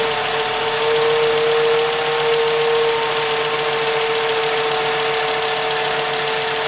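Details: 2.5 VW Jetta just restarted after replacing all fuel injectors (owner suspected cylinder 2 causing occasional stumble under acceleration): engine settles into a steady idle with even hum and constant mid-pitched tone, no misses or knocks; normal idle.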